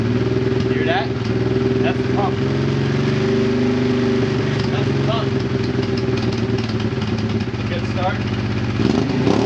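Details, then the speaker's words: Honda Transalp with Africa Twin tank and a custom FuelFlow dual-line fuel pump, running on the right-hand tap with fuel below the gravity point: steady, even idle, pump feeding fine. "Alright, I have it running now on the right hand tap that is beyond gravity. Below gravity, let's see what happens."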